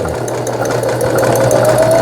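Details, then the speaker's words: Brother XL-6050 household sewing machine after repair including bobbin case replacement, sewing overlock stitch: quick even needle chatter over steady motor hum rising slightly in pitch with speed; runs smoothly, normal running. "바느금질이 풀리지 않도록 해주는 오버록 스티치까지 정상적으로 수리가 되었습니다."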